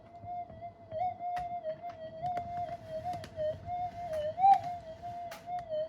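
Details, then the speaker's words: Minelab GPX 5000 metal detector upgraded with new components, on full gain far above standard with a cancel coil: wavering whistle-like threshold with repeated sharp squawks and crackles from electrical interference. "You can probably hear this thing at the moment squawking away. It's squawking away quite merrily, but the thing is, it is on full gain."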